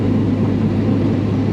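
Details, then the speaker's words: 1966 Chevy Nova after a new budget ring and pinion and Yukon posi install, driving: steady low whine over road rumble from the rear axle; owner suspects the cheap gears or installer error, backlash in spec and pattern good. "Also, full disclosure, because you know how this channel is, we do have a whine. I don't know if you can hear it."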